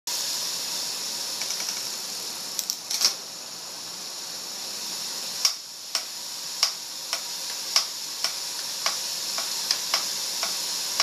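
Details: Trek road bike on a trainer: sharp, dry rhythmic drivetrain clicks about once a second while pedalling. The cassette and chain were recently replaced. The click persists with different pedals and shoes, on and off the trainer, seated or standing.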